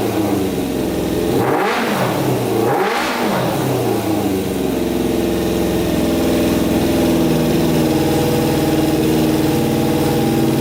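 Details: Custom Yamaha Banshee with swapped 600cc engine after cleaning carburetors, stage 4 jet kit and freeing a sticking throttle, choke off: two clean blips rising and falling without stumbling, then steady idle without hunting; pilot jets working, revs out fully.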